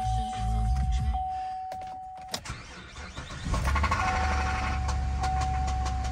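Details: Copart auction car with some sun-related delamination but a good body, radio playing as it starts: engine catches with a quick, fairly even top-end tapping about three per second over the idle; enough to rule out bidding.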